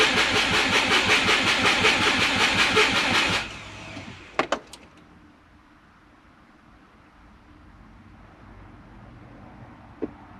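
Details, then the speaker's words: Turbo Subaru with a DIY exhaust manifold, after 5 L of fuel was added: the starter cranks almost three beats a second for about three seconds without a single pop. The owner suspects flooded plugs and notes no trigger or home-angle calibration; cause unconfirmed. "getting sick of this. I must have flooded the plugs again. So, I'm getting no pops at all, but we're not getting any calibration from home angle."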